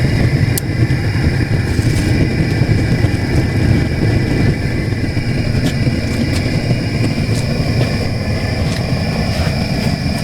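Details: Stoneware kiln at the start of a firing, early morning, with forced-air burners fired aggressively and the fan running: a deep, steady roar with a constant low rumble and even fan hiss. Burners are firing hard and normally.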